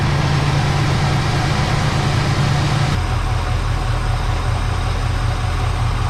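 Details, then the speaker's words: 1970 Chevy C10 small block 305 V8 after replacing a bent pushrod and fitting new gaskets: low, steady idle burble without ticking or stumbling, good oil pressure, all cylinders on both banks firing cleanly; repair successful. "good oil pressures they're pretty healthy there it all sounds pretty sounds like it's hitting on all those Banks over there"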